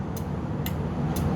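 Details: Meego relay tester with built-in battery, set to 4-pin, testing a 4-pin car relay (used e.g. for Proton Saga radiator fan): crisp, evenly spaced clicks about twice a second over a low hum; yellow light flashes, relay is good.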